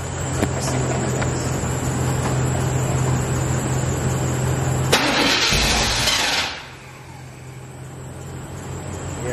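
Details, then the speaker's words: C4 Corvette, battery dead, jump-started from another car: starter churns steadily, engine catches for about a second with a rush of noise then dies; cranks but won't keep running, something not keeping it on. "because when I turn it it actually you can hear it it actually wants to crank and it turns on for like a second then it just turns right off"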